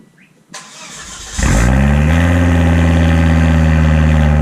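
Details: 2006 Volvo S60R with a new custom stainless cat-back exhaust and temporary blast pipe, no tip yet: starter churns briefly, then it catches into a deep, steady, even idle with a full exhaust note. Normal cold start and idle.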